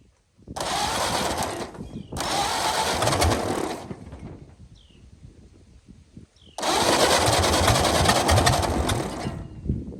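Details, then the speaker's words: 1929 Ford Model A four-cylinder, abandoned 75+ years, running on gasoline: loud bursts of hard, high revving with short quiet gaps; racing wide open, owner suspects the carburetor throttle linkage, which was then fixed. "gas well she runs but she's wound wide open here let's uh let's fix that thinkig our carburetor linkage is a little"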